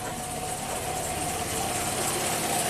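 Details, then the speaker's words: 1997 Kia Sportage 4x4 that surged at idle: low, slow idle around 500 rpm holding steady without hunting; mechanic suspects the surging was a TPS sensor bouncing up and down. "Collecting data. So that's about right. So maybe the whole problem with the surging was the TPS sensor that was bouncing up and down."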